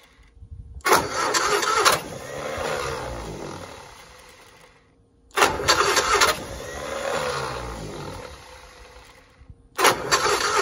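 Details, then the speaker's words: 1960 Onan industrial engine for a homemade Model T replica, first start in many years; fuel pump vacuum shutoff lever propped open. Three cranking bursts of about a second each, fading rumble, never catches; afterward fuel is seen coming up, possibly filling the float bowl. "we got gas coming up we did get gas coming up that time it might have started filling the carburetor the float Bowl"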